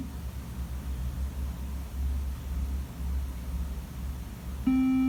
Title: Imac 2015 late won't start up and with beeps sound